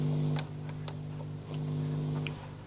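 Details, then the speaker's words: Philips 4302 reel-to-reel tape recorder, first power-up on a newly fitted mains cable, volume turned down: low constant mains hum with light handling ticks; suggests the amplifier probably works. "with it turned down there's a little bit of a mainsun but hopefully the the hum here indicates that the amplifier is probably working"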